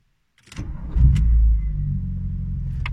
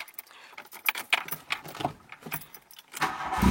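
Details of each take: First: VW Golf 2 1.8 90 hp (GU engine) after replacing hydraulic lifters and refitting the timing belt: quick crank, brief rev, then smooth low idle with lifter clatter gone; normal start and idle. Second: VW Golf 2, 1.8 90 hp GU engine, at idle after start: a light, quick clatter from the top end that persists beyond a few minutes; worn hydraulic lifters tapping, to be replaced.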